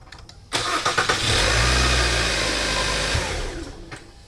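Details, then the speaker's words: 2012 Kia Sorento after starter replacement with a new starter: clicks, then a quick strong crank catching within a second into a smooth even idle; normal cranking and start. "sounds good so the uh starter is new so always buy new okay from auto part"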